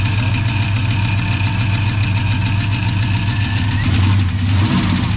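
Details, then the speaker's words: 1984 Chevy truck, revived after sitting two years, alternator charging about 14 V: steady low idle with a faint, uneven light tick. Source unknown; owner wonders if it's a lifter, and someone says it sounds like a rod. "I don't know what that freaking noise is I gotta get it"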